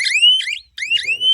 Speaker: में करंट रहा तो मशीन से आवाज जब भी झटका झटके का करंट ड्रॉप होगा तब सायरन आवाज देगा